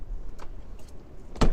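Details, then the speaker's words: Iveco Daily van after central locking fault repair: single solid whirring thunk from door lock actuator on unlock, faint handling noise before; central locking working normally, sliding door alignment issue remains. "it see it works fine now obviously we do know we have a an issue with a sliding door the actual alignment of it but at least we've managed to get the central locking working"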